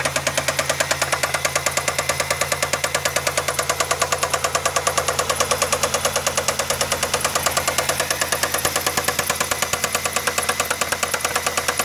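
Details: Running engine with steady, sharp, very even knock about 140 per minute, felt through the dog bones; owner suspects a bad rod bearing, unconfirmed.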